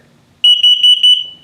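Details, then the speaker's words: 2022 Flagstaff HW 21FSHW trailer LP/carbon monoxide detector in test mode: four quick, shrill beeps in under a second, the carbon monoxide alarm pattern. "So it'll go off, it detects LP gas leak, carbon monoxide, and also if it beeps very, very slowly, it's telling you your battery's low."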